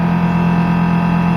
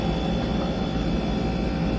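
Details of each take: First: Brastemp BRE57AB Inverse Frost Free duplex refrigerator, 443 L, with interior partly disassembled: loud, steady whirring drone with a strong low hum. Fan obstructed by ice buildup, close to jamming and likely to burn out. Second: Brastemp Frost Free BRE57AB Inverse 443 L two-door fridge after disassembly and repair of a noisy fan: even steady airflow rush with low drone, no scraping or rattling; fan running normally, problem solved.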